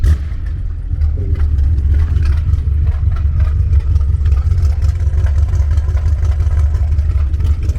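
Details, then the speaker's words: BMW X6M V8 twin-turbo after a fuel system upgrade corrected fuel pressure: deep, steady rumble under light revving with a rough, raspy chuff riding on it. Large exhaust leak at the turbo, possibly both sides. "And you can actually hear the exhaust leak if you listen for it. That exhaust leak sounds horrible."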